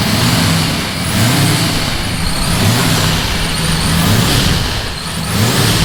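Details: Nissan S15 with freshly built engine, first run with newly welded exhaust just installed: loud, throaty exhaust note with a steady low rumble that swells gently; idles evenly, normal idle.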